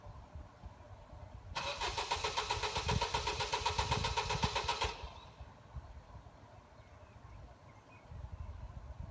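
Starter cranks the engine in a quick even whirr for about three seconds, then stops without the engine firing; crank, no start.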